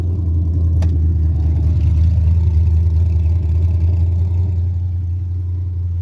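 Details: Carbureted 5.3 LS swap in a Mustang with MSD LS-series ignition: a deep, even rumble held at a raised, steady idle that never settles. It starts and dies and idles fast; carburetor, timing or vacuum leak suspected, cause unknown.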